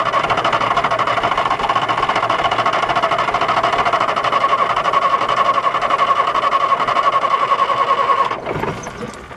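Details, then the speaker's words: 1973 Volvo G89 truck, TD120 diesel, 320 hp, 24-volt start, after four years sitting, fuel system bled; runs roughly with uneven beat then dies near eight seconds; air in the fuel or low idle suspected, needs further bleeding. "4 years sitting there. It's obviously, it's either a bit of air or the idle's a bit low."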